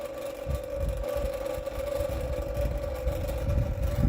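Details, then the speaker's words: 1960s(?) Superior Electric Model 808 desk fan, after oiling with WD40, running then spinning down after unplugging: steady motor hum with an irregular low fluttering thump. The owner suspects a loose blade, not confirmed; the fan is likely no longer functional. "blade might actually be loose honestly unplug it here watch spin down so probably not necessarily a functional fan any longer but a neat little display piece"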